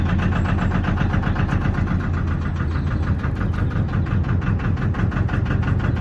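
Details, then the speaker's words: Lister diesel in a narrowboat engine bay, not started for a while, baseline noise measured before soundproofing: steady low clatter of about two firing pulses a second, with no misses or metallic knocks. Healthy running. "Before I do any changes to the deck, I'm going to start the engine up, measure how loud it is, and then once I finish doing the deck, I'll start it up, measure how loud it is and see how much of a difference it's made"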